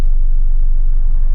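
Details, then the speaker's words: Fiat 126 two-cylinder engine after replacing a cracked part and adjusting the idle to stop stalling: low, steady thrum with an even beat and no stumbling; normal idle. "I've messed around with the idle and it's fine."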